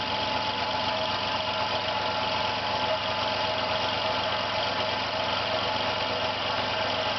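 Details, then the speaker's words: Failing compressor running about 50 seconds, pressure rising, no air leak, one side cold and other much hotter: steady drone with rough rattly edge; sounds abnormal, cause not identified by ear. "You can hear it's making a strange noise."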